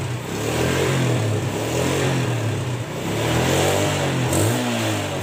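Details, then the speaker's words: Yamaha Jupiter Z motorcycle engine after reassembly to fix rough running: it revs smoothly, its low hum rising and falling evenly. The earlier knocking ("klotok") noise is gone. "Suaranya udah lumayan halus, nggak ada suara klotok-klotoknya lagi ya."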